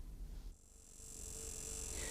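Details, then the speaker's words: 1995 Rover 600 with 2.0 L-Series diesel, ignition switched on: faint steady high buzz from the injection pump, which is the injection-timing solenoid valve at the pump base working normally. "incidentally don't be alarmed if you hear a slight buzzing sound like this from the injection pump when the ignition switched on it's just the solenoid valve doing its job"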